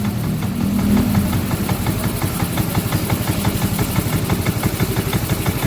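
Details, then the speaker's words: Yamaha Mio M3 scooter after stripped fine-thread 10 bolt replaced with coarse thread: now idles but irregularly, beats uneven around three a second with a lumpy, shaking rhythm, engine sounding rough; rough unstable idle, reset still pending. "Sudah mau langsam sekarang. Tapi ini langsamnya tidak beraturan, tapi mesin juga kasar kedengarannya."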